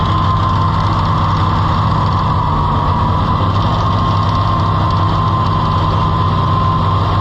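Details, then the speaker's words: Farmall IH 560 tractor, overhauled and bored about four years ago, after owner altered ignition timing: deep steady idle with a faintly uneven lumpy beat, cylinder dropping out; intake-side cause suspected, not confirmed, little smoke. "figure out why it's got a miss in it, and that's not gonna work."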